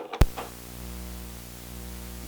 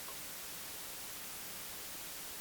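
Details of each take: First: Why Your Audio Setup Has That Annoying Buzzing Sound Second: Only a soft, even hiss at low level, with no hum or buzz. The ground loop was solved by plugging the console into the front-of-house AC feed using a star ground.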